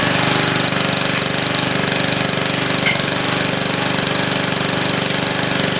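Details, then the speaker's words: Free old Lawn Chief riding mower, used last year, started on a dribble of old gas with a makeshift battery hookup: small single-cylinder engine chugs fast and a bit uneven with a rattly top end; runs but rough, needs fresh gas and a tune-up. "like it definitely is some fresh gas and a tune-up and a new battery cable in but hey she runs"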